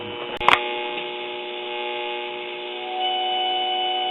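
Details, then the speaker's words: Crosley Cruiser record player: click, then steady high whistle over constant buzz, volume-dependent; feedback and hum because the metal tone arm tube is not grounded. "there's our feedback and i've already checked and this metal tone arm tube is not grounded like it should be"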